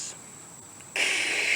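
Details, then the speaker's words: 2008 Jeep Grand Cherokee Laredo 4x4, 3.7L V6, belt removed: tensioner and idler pulleys spun by hand give a short, harsh, high-pitched whirring rasp and spin too freely; stethoscope found both loud, worn pulley bearings, replaced with new belt. "so i suspected that bearings were going bad in these two pulleys to confirm my suspicions i loosened the belt and then spun the pulleys and they do spin to excess and they make a loud noise"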